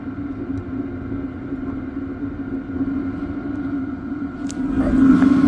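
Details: LF Bros 5 kW diesel heater starting at 14 °C after priming, powered from a Jackery portable power station drawing about 34–35 W: steady blower hum with soft combustion rumble, rising slightly as it is turned up; runs normally.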